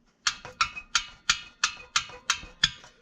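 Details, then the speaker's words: 2007 Yamaha Grizzly 700 ATV at idle: sharp metallic clicks about three per second from a bolt that isn't fully tight and is stripped, rattling against its mount; needs tightening or replacing. "Yeah, well, when this thing is idling, that thing is annoying. That's not a good selling point either, so we got to fix that."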